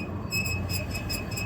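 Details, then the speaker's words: Mastercool/Aerocool commercial swamp cooler blower shaft spun by hand gives a high, thin squeak about three times a second from a dry, unlubricated bearing while being oiled during seasonal maintenance. "That squeak means that there's something that's not lubricated. And hopefully we can get that worked out so that we don't have to listen to that all summer."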